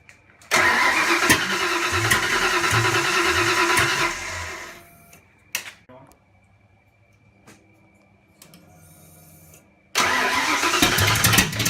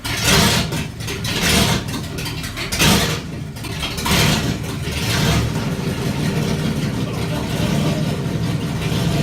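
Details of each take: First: Ford Fox Body 302 turbo build on first start, turbo left off, distributor lined up to the original mark: fires, runs rough and uneven about four seconds, dies, restarts; timing too retarded, fixed by advancing distributor clockwise. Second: Fox Body 302 V8 build, first start with turbo not fitted, after advancing the distributor clockwise: catches with a few rough bursts, then settles into a steady, even run with no lifter tick; healthy, timing may need slight further adjustment.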